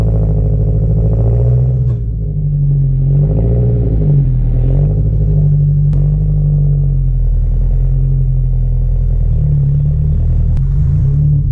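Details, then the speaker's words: Tuned 400+whp Mazdaspeed3 at idle, clutch rattling badly: loose, uneven metallic rattle over a lumpy idle, no revving; fixed by work involving six bolts. Intake manifold gasket also noted as a problem. "As you can hear, it's rattling pretty bad, and yeah, I gotta shut this off because it just sounds horrible."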